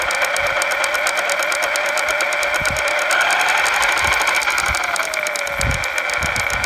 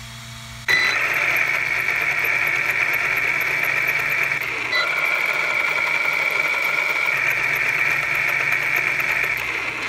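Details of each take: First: Losi Lasernut U4 RC truck: worsening drivetrain clicking, not from the wheel bearings, front or rear differential suspected. Steady sharp ticking about two a second over a thin motor whine; front diff had excess play and a loose ring and pinion mesh. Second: Losi Lasernut U4 RC truck after straightening both bent drive shafts, not perfect. Steady high electric whine with no knocking or catching; drive shafts running normally.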